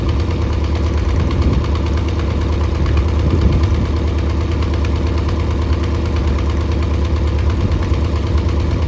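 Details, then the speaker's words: Mercury 90 hp outboard on a Shetland 535, run out of the water: rough, uneven idle with a lopsided beat and irregular stumbles about two a second; bottom cylinder not firing, spark plugs swapped to test. "you know it is not running on the bottom so I switched the spark plugs around just to see if that is it"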